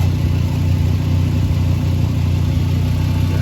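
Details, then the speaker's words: 2011 Volkswagen Golf Mk6 wagon after welding exhaust holes with spare parts: steady even low idle, no puffing, ticking or blowing at joints; exhaust now sealed and quiet; normal exhaust at idle. "all right it's not pretty but I got it it's nice and quiet now"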